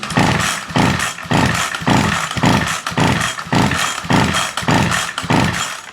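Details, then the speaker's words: Ryobi SS30 two-stroke string trimmer that won't start, primer bulb broken, with fuel added to the carburetor and the throttle held wide open: about seven rasping recoil pulls with no firing or catch; a fuel problem is suspected not to be the cause, so spark is checked next. "so that's not the problem so I suspect it's not a fuel problem"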